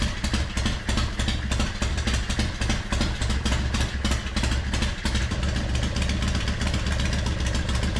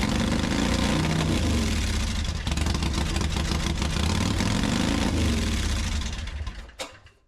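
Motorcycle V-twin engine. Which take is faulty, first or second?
second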